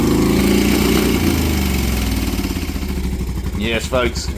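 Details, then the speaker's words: Moto Guzzi 850T café racer after full custom build, first start after a no-spark fault fixed with new points and condensers and simplified fuel delivery: lumpy but even twin idle about three and a half beats a second, no knocks or misses, runs normally. "It's back. It runs. What an amazing uh adventure."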